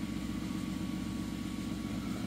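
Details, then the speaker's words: 2011 Mazda 3 2.0 automatic with failing transmission control module, AT and check engine lights on: steady idle hum with slightly uneven rev level, no knocks; faulty TCM changing idle speed. "So the AT light is on, check engine light is on, and it changed the revs from when it first started."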